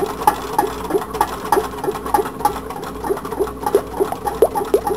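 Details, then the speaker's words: Home-built tin can Stirling engine running slowly on a stove: light, regular metallic ticks about three a second as the displacer strikes the can bottom; the glued adjuster tube slipped and the short crank lobe keeps the displacer from rising fully. "let it run a while I can hear the display should catch at the bottom what I'm figuring it's not coming up all the way"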